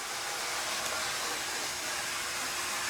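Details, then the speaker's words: Santa Fe 1762 model locomotive with light, Athearn lot, at full speed drawing about 480 mA: steady, even high motor whir, smooth with no surging or grinding; runs good. "That's full speed there, about 480 milliamps. Nice and smooth, runs good."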